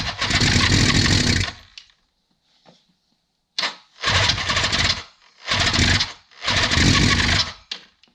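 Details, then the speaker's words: 1976 Suzuki GT750, first start attempt in 30 years after choke repair, fuel on: starter churns in bursts, engine fires raggedly a second or two then dies; nearly catches, owner may need to adjust timing. "See if we can get it to go. Ooh. So it does run. Let's give it a go again here."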